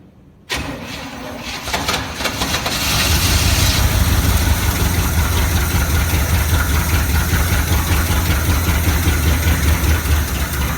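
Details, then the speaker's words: 1969 Chevy C/20 with 327, first run in 40 years after cutting off the muffler: cranks, catches within a second, then settles into a steady, even idle rumble with no misses or knocking. "she's alive i've been waiting for that for get your brothers yes they do okay go ahead yeah awesome well it runs and quite well"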